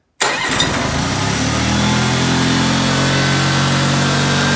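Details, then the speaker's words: Old Honda HT3813 riding mower with engine just reinstalled, run briefly without coolant capped off: quick crank, catches at once and settles into a steady, even run with no knocks or rattles; seems to run well, a small leak noted. "but i mean just the fact that it starts and runs is a miracle so it seems to run pretty well"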